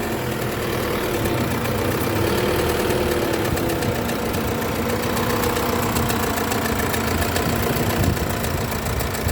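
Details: Isuzu D-Max 4JJ1 diesel idling with a deep, uneven knock from the engine, caused by a broken crankshaft main bearing cap.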